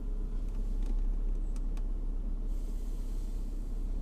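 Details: Engine with hydraulic lifters, treated with an oil additive to quiet lifter knock, idling with the temperature needle just rising: low steady rumble, no ticking or rustling from the top end; normal idle.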